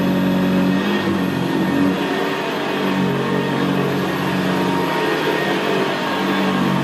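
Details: 1975 Hoover Senior Ranger U4002 vintage upright vacuum on carpet: smooth, quiet motor hum with a low, even gravelly brushroll rumble, more audible where carpet is squashed down; typical of the Ranger. Normal running.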